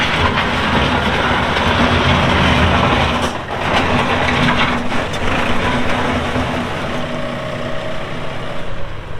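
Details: 2018 Massey Ferguson 2605H 4WD compact tractor, 310 hours: steady, even diesel clatter with a low constant drone, no knocks or misses; normal, sound-running engine.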